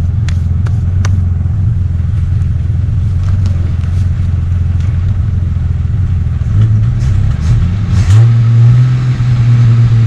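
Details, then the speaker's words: 1969 Ford Falcon running after sitting for years, just revived and warming up, no brakes: even low drone from the six holding a fast, steady idle with no misses or stumbles. The idle speed is turned up too high. "No brakes, you know that. Oh, warm it up. You got that idle turned up too far."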